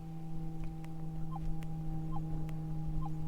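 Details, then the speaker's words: Minelab GPZ 7000 gold detector in auto ground balance, threshold set to 53 and configured for headphones (51–52 preferred). A steady low hum holds with faint blips over it; normal threshold tone. "Okay, now we're going to go up here to threshold. That's where I meant to go the first time. Now we're at 53 on the threshold."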